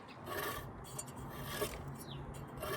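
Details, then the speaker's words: 1972 VW Super Beetle at idle: dry, uneven rasping scrape about once a second as the slightly bent original cooling fan touches its shroud; fan to be straightened or replaced. "and you can see there's a gap mind the gap come over here and it's touching I don't know if you can see that it's touching so the fan is bent ever so slightly we're going to have to adjust this"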